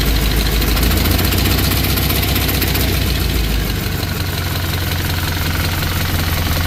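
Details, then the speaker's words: 1963 Chevy Impala small-block V8 idling after valve lash adjustment: steady rumble with light loosely regular ticking; got quieter, remaining clacking suspected from a leak on one side. "So, got a little quieter, but there's also a Vbay that's over there leaking. That's where most of that noise is coming from right there."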